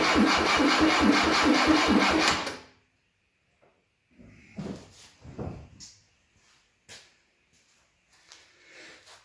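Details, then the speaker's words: 1972 Fiat 850 Sport Spider, sitting 22 years, fresh gas and new filter and lines: fires and chuffs unevenly about three pulses a second then dies; owner suspects carburetor issues and overfueling. "I think we're having some carburetor issues. They keep putting way too much gas down there because of this great filler system."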